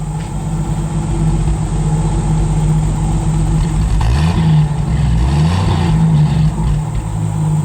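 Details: 1958 Chevrolet Biscayne survivor, 235 CI inline six, automatic, under 40,000 original miles, brakes held; even low idle, then a couple of light rev blips that climb and drop back cleanly, smooth and healthy; normal engine revving.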